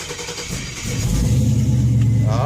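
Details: 1967 Oldsmobile Cutlass with LS swap, just after a gas tank swap: fuel pump primes, short crank, then the engine fires and builds into a steady low rumble without misses; normal start, fuel line splice to be checked for leaks.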